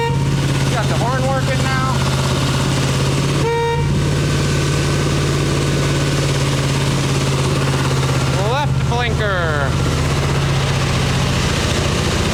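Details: 1989 Harley Ultra Classic Tour Glide Evo V-twin, butterfly carb, on factory plugs, warming up: a steady low idle on choke with horn toots. It won't idle without choke.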